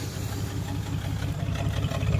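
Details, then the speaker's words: 1994 S10 Blazer 4.3 CPI V6, 190,000 miles, after the spider injector replacement: lumpy stumbling idle with a dead miss on one bank and blue smoke from that side; owner suspects the new injector, a plug, a wire or the ignition coil. "It's still misfiring, so it's got a dead miss on this side. Either the spider injector I installed has got some issues, or, like I said, there's a bad plug or wire on this bank, this specific side."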